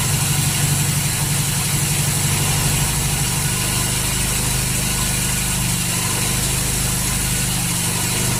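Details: 1939 Hillman engine, first start after two days trying, carburettor hand-primed, full choke: catches and settles into an even, rumbling idle with no knocks or misses, running.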